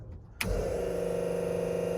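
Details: Cummins dual electric fuel pump setup, rewired through a switch panel so the pumps no longer share one fuse (which had blown): a click, then a steady, even electric hum at constant pitch; the pumps run normally.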